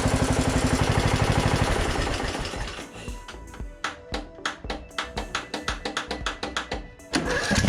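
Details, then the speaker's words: Craftsman DLT3000 42-inch lawn tractor, choked, key in run, starter solenoid bypassed by arcing it with pliers: short crank, then the engine catches unevenly and picks up. It starts only this way; a bad starter solenoid is suspected. "Yep this is the same problem that we were having before I think it's a bad starter solenoid"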